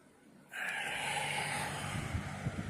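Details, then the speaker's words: Lasko Weather Shield 20-inch box fan, heavily used for about a year, after cleaning and service, on low speed drawing 77.0 W at 120.4 V, 60 Hz: soft, steady air rush with faint low hum, no rattles or ticking; quiet, normal running. "Fan is very quiet. It's pushing a decent volume of air."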